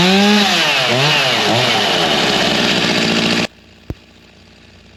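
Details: G366 two-stroke chainsaw on dyno after big carb swap, still warm, tuned to about the same as before: surges and sags, revs climbing then falling back, then cuts off; bogging, a major part missed in the swap.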